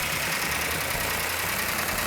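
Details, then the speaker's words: Freshly rebuilt engine in a previously totaled Plymouth GTX, initial startup held at high RPM for cam break-in: fast, light valve train ticking over a high steady idle with hiss, no smoke; normal for a new engine. "Got a little bit noisy valve train, which is normal on a new engine. Trying to hold the RPM up till the cam can break in."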